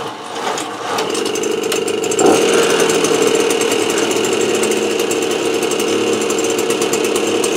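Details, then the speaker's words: Small two-stroke AV 89 moped just reassembled with a correct-thickness head gasket, engine still cold: steady buzz at raised idle after a brief rev, smooth and even; normal running. "Donc bah écoutez, hein, quand le joint de culasse est de la bonne épaisseur, ça marche nickel."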